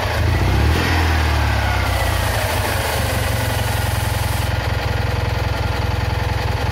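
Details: Citroën Ami 8 flat-twin, hot: putters at a fast idle with uneven pulses and a skip every few beats; ignition misfire the owner attributes to a failed condenser, with heavy points sparking.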